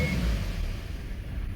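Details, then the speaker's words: 2015 Hyundai i30 diesel, unserviced long time: after a rev the low rumble sags and the engine cuts out within two seconds; owner suspects clogged fuel filter, air filter also very dirty. "cuts off right that's the problem with this car Hyundai i30 2015 and uh yeah that's the problem right it's a diesel one as well right"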